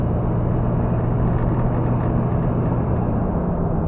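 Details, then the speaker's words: 1972 Chevrolet El Camino V8 on stock suspension before a QA1 Stage 3 coil-over install, heard while driving: steady, even low rumble with no knocks, misses, stumbles or pinging; the engine sounds smooth and healthy, normal running. "oh i like this motor it's nice"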